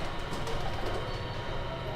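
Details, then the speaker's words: Compaq CQ40 laptop at power-on; loud, rough, steady whirring rattle from the cooling fan; fan rattle, typical of debris in the fan. "इस लैपटॉप में प्रॉब्लम है कि जैसे ही हम लोग button press करके ऑन करेंगे ना, तो फ़ैन जो है बहुत ही अजीबोगरीब सा आवाज़ करेगा, बहुत ही ज़्यादा साउंड करेगा, इरिटेटिंग करेगा।"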